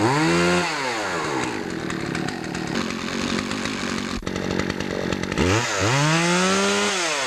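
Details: Poulan Pro chainsaw after fixing a clogged air filter and sharpening the chain: revs up cleanly to a high steady scream, holds under cut, drops and picks up crisply, no bogging; normal running at full speed.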